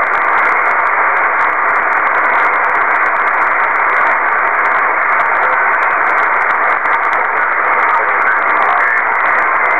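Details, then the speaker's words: Kenwood TS-2000 HF receiver at home, with noise on all HF bands. A steady loud hiss and static buries everything, so signals need S9 or better to be readable: radio noise interference. "as you can see it takes a signal of s 9 or better to even be readable now"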